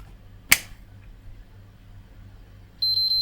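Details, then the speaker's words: PS5 at power-on: one sharp click, then three quick high-pitched beeps and nothing else, with no lights and no picture. Holding the power button for 15 seconds did not help. Cause undetermined. "yeah I've also tried holding the power button in for 15 seconds somebody suggested that so I've tried the common fixes on this and nothing gets a picture out of it just three blips and nothing else"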